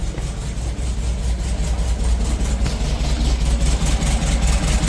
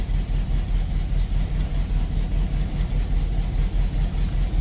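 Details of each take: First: 1972 Volkswagen Beetle at idle during oil change, just started: low throbbing idle with uneven lumpy beat about two and a half pulses a second; running a little rough but smoothing out. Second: 1972 Volkswagen Beetle around an oil change: low, throbbing idle with a steady beat of about two and a half pulses a second, slightly rough but the usual sound and settling.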